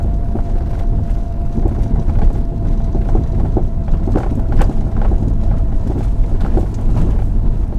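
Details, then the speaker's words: 2006–2012 Ford Fusion: soft, irregular clunks from the front end under heavy road and wind rumble, caused by a worn front strut, fixed by replacing it. "So there's the source of the mild but annoying clunking sound. It was the strut."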